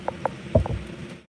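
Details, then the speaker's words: Homemade pulse motor (free-energy experiment) run from a battery with a potentiometer on the trigger wire; soft uneven low thumps a few times a second over a faint hum, believed to be the coil thumping. "can you can you guys hear that thumping I don't know if you can hear that that thumping over here"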